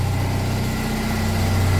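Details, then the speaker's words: Citroen 2CV flat-twin with 135,000 miles, cold start after about eight months unused: low, even, steady idle putter with no knocks or misses, running adequately. "adequate that's what it is adequate what a little beast"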